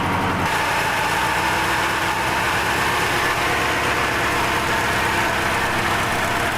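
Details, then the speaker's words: Air-cooled V4 SUV getting ready for its first drive, with a carburetor and the choke slightly closed: a cold fast idle with high revs and an even, throbbing beat, with no misfires or rattles. A normal cold fast idle. "it's cold and the revs are high, it sounds quite good. I don't know about other people, but I could listen to this sound all the time because, hey, it's an air-cooled V4."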